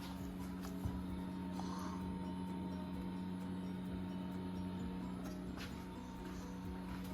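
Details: Walbro 450 fuel pump on turbo K24A2 (Borgwarner S257, E85, new 2200cc injectors, KPro) set to run continuously to prime: steady even electric hum at one pitch, no surging or rattle; pressure builds, no leaks; normal.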